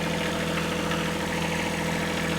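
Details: Kubota B7100 diesel tractor, new cheap group 51R battery, cold-weather idle with dynamo warming and voltage rising to 14.1 V: smooth, low, even diesel hum at constant speed, no knocks or surging; normal idle, charging judged good.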